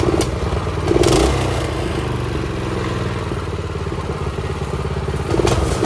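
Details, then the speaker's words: Predator 212 minibike engine just after fitting the throttle cable to the governor arm, refuelled and started on choke. It putters evenly and picks up cleanly on two short throttle blips, dropping back smoothly. Normal running. "As you can see, she is running good."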